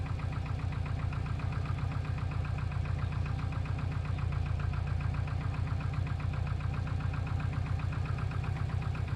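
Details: Subaru Impreza WRX GC8, EJ20G turbo, knocking for about three years; others say forged pistons, owner suspects a connecting rod. Steady, deep knock at about four beats a second in time with the engine at idle; internal engine knock.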